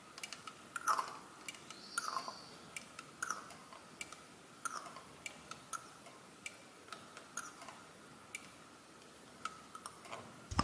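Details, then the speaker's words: Mercedes R107 560SL KE-Jetronic EGR valve tested with hand vacuum pump: sharp light clicks as vacuum is applied and released, plunger moving freely; EGR valve working normally. "you have all heard that click now if now I release the vacuum is fading and it will click again"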